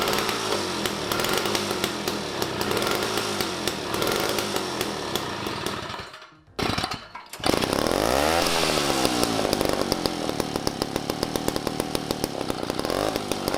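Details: Toro S-200 snow blower two-stroke engine on a friction-drive DIY motorized bike, carburetor just rebuilt with a new diaphragm (the carb lacked a second gasket, the suspected issue): buzzy, runs steadily, nearly dies around six seconds, revs back up; carb seems fixed.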